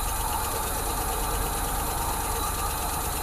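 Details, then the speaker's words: 1986 Ford F150 after sitting for years, first start after many tries, oil pressure confirmed: steady idle with light, quick, even ticking over the engine note, tick fading as it runs better. "Sounds like it's already trying to start to run better. Yeah, and the tick starting to go away, too."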